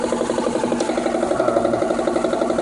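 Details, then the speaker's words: 2003 Mitsubishi Eclipse GS, 147,000 miles with replacement engine at about 102,000, crankshaft position sensor check-engine light: sudden fast regular pulsing rattle, about six beats a second, over idle, seeming to come from the passenger side of the engine bay; cause unknown. "and all of a sudden this sound came up one day and i have no idea what it is i'll give you another listen it really feels like it's on this passenger side of the engine from the engine bay"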